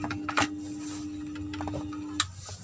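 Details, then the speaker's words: Active PC speaker with very quiet output: powered on, only a steady low buzzing hum with a few handling clicks, no noise reaction when touched, volume knob doubles as on/off switch; amplifier fault, cause not yet found. "tak hanya berdengung seperti ini ketika disentuh biasanya suara noise terdengar tetapi disini tidak ada reaksi"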